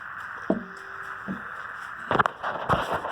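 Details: 2012 Dodge Grand Caravan 3.6L after spark plug change, key on, engine off: steady high buzz or grind under some clunks from the electronic throttle body. Owner suspects the unseated intake resonator is stressing the throttle body.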